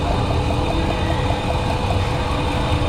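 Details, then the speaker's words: Dodge Ram pickup, about 2004, 198,000 miles, lumpy V8 idle with a regular stumble and faint ticking; the coil moved from cylinder eight to six leaks spark through its boot instead of down the hole; misfire from ignition coil leaking spark. "you see the spark coming out through the boot this uh this coil is leaking leaking voltage out of it"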